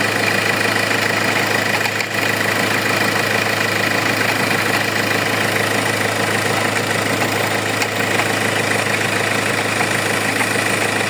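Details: Hyundai engine at steady idle with a fast, fairly even chatter and a thin whine on top, from a faulty alternator pulley.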